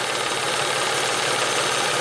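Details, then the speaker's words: 1994 Ford Probe V6 warming up at idle: fast, light, bright clattery ticking knock over steady petrol idle from the timing belt tensioner, which is out of oil; needs a timing belt job. "there's this concerning knocking going on uh wow I don't know if I want to drive this thing too far with a knocking timing belt"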